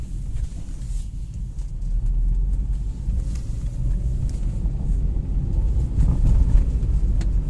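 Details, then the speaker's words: Hyundai Grand i10 petrol manual, road test after swapping in a used gearbox (old one was low on oil with metal debris, humming in 2nd and 3rd): low even rumble through all gear changes, no whine or hum; gearbox normal. "कोई आवाज नहीं है मतलब जो हमारा use gear box है वह अच्छा निकला"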